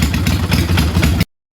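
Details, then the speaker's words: Kawasaki Vulcan 800 V-twin idling after the idle speed was raised from a too-low setting: a deep, even thump that sounds better, though the higher setting makes throttle response boggy. "so that's a little bit higher there sounds a little bit better but that makes the throttle response boggy"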